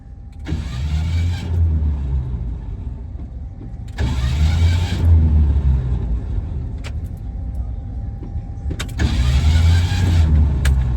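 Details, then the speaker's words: 1968 Ford Mustang at a car show: three short starter bursts with a harsh metallic whir, no catch and no firing; the flexplate has torn itself apart yet again. "We didn't even leave the car show. And the flex plate is yet again tore itself apart."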